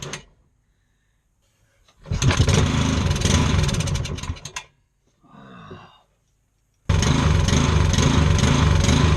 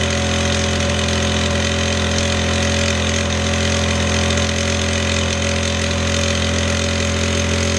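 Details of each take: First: Scrapped lawn mower engine being revived on an engine stand with spark and fuel: two short tries, then it runs rough, its note swelling and sagging as it hunts. Engine surging, with the throttle linkage seen jumping back and forth. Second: Scrapped single-cylinder lawnmower engine, restored, with the throttle lever clamped open at a constant speed: even, steady buzz with no surging or missing; normal steady running.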